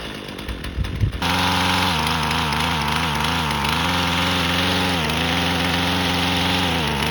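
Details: Husqvarna 128LD string trimmer after new carburetor plus tune-up (spark plug, fuel filter, air filter), cutting grass: high steady buzz dips briefly as line bites grass and recovers cleanly; strong, healthy running under load.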